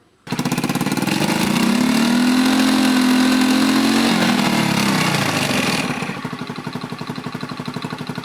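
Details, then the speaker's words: Honda Beat FI injection scooter before repair: revs rise with wavering uneven pitch then sag to stumbling idle; hesitates and stalls on throttle because fuel pump pressure is too weak, fuel trim beyond ECU's ±25% correction range. "lihat sendiri ya teman-teman saat digas dia cenderung nyendat-nyendat dan seperti enggak at bahkan mesinnya juga mati"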